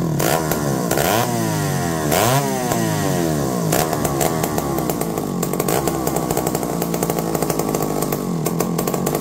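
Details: McCulloch D44 two-stroke chainsaw, revived after 15 years unused; hot spark by hand but fired right up and revved outside, revs dip and cut out here and there; owner suspects a potential coil issue: intermittent cutting out while revving.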